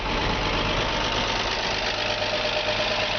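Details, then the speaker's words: 1951 Chevy 3100 with a 235 six (originally a 216), started with the original foot pedal starter after pumping the gas. Fires right up into a smooth, steady six-cylinder idle with even pulses, no misfire or knock, and some hiss. "Let's make a liar out of me. She fires right up."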